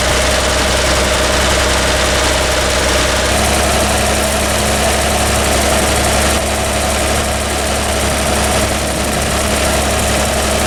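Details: Toyota Land Cruiser, started cold: lumpy uneven idle with irregular stumble in exhaust beat; cylinder 3 dead, its exhaust tube stays cold; possible compression, valve, carbon, plug or ignition cause, still to be tested.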